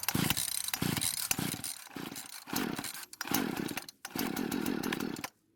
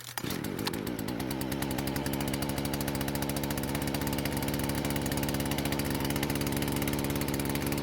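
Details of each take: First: Husqvarna chainsaw, won't start, fuel poured into carb throat: fires and revs in short bursts then stalls; fuel starvation from broken fuel lines and purge bulb, metering diaphragm suspected hardened. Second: Husqvarna chainsaw after carb repair, mixture screws reset: even, steady two-stroke buzz with one brief blip, no stumbling; normal running after fix.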